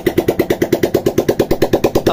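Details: Kawasaki Barako 175cc V2 new model fitted with V2 old-model cylinder head, running without exhaust muffler; loud crisp open-pipe popping at an even eight beats a second, no knocks, normal idle.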